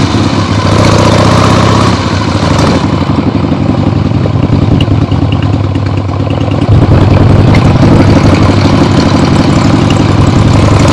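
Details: Freshly rebuilt 1975 Harley-Davidson XLH Ironhead Sportster V-twin on short test ride around the block; loud even lope, steady firing beat through open pipes, no knocks or misfires; a few carb farts probably adjusted out once warm; normal running engine.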